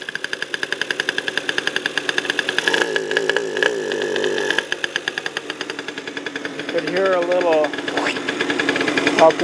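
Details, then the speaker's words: 2000 Aprilia 50cc scooter with 15,000 miles and suspected electronic ignition problems: uneven putter at three to four pops a second with sharp backfires, won't rev; the backfire is taken to point to timing, unconfirmed. "soft painfully we're getting a backfire which indicates that the timing is"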